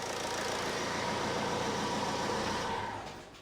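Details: 2007 Ford Transit Connect 1.8 TDCi diesel, about 144,000 miles, idling after a fuel filter change. Steady, even clatter at about four beats a second with no stumble or misfire. Idles cleanly.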